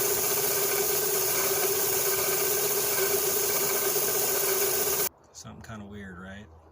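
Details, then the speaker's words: 2006 Scion xA engine running: steady gritty whir with a high ringing tone, first suspected to be a pulley near the alternator, found to be a failing water pump bearing. "it kind of sounded it kind of had a bearing sound let's go ahead and play the sound for you"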